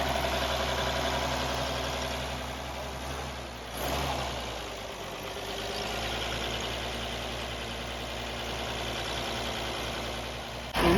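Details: Restored 1929 Chevrolet International truck six, first run in years, before first test drive: steady low rumble with an even beat, no missing or knocking, smooth slow idle; normal idle.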